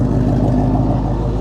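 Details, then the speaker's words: Carbureted car, cold start after sitting at least 24 hours, gas pedal pumped a couple of times: steady, even low rumble with a smooth firing beat and no misses, idling on its own. The idle is normal. "It's idling on its own, right? Not a problem. Listen to that. Cold start."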